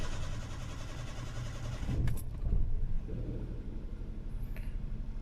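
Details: Hyundai Eon after in-tank fuel filter replacement, pump primed with key on first: short crank, catches right away and settles into smooth, even low idle with nothing odd on top.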